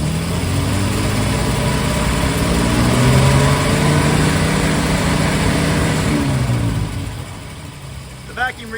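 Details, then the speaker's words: 1947 Plymouth Special Deluxe convertible with twin carbs: smooth, even idle, steady low beat, 21 inches mercury vacuum front and rear; carbs well balanced. "so I'd say we're pretty close now I don't know if the throttle openings are really timed together exactly but they're pretty good"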